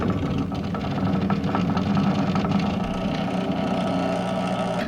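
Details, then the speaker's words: Jack Boss parts washer (new, unboxed) pump, rated 1/2 gallon per minute at 110 volts, briefly switched on to check it runs: steady even low hum, no knocks or rattles; normal pump running. "So we're just going to turn it on and see if it sounds like it's running."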